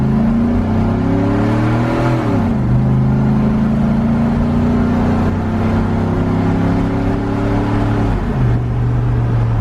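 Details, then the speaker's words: LS-swapped OBS Suburban with new custom exhaust, clogged converter removed, driving: deep, smooth V8 rumble rising and falling evenly with throttle, muffled and mellow; sounds stock, surprisingly peppy. "it sounds like a pretty stock truck [Music] it's surprisingly peppy for a big girl"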